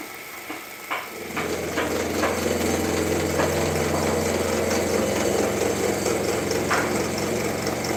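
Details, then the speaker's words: Grizzly G0704 mill with factory motor and electronics running a 2-inch shell cutter at 20 thou depth of cut, feed cranked fast enough to avoid stalling. The motor hums steadily while the cutter chatters in irregular ticks; heavy cutting load. "I'm taking 20 thou depth of cut, and as far as speed, I'm just cranking so I don't stall it out."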